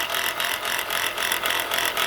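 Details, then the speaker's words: Chrysler Pacifica (2004–2008 crossover), engine running; light fast metallic rattle in bursts from alternator area, pulley bouncing, brown residue nearby; owner suspects shot alternator bearing. "From the looks of this and the sound of this, look like the alternator bearing is shot."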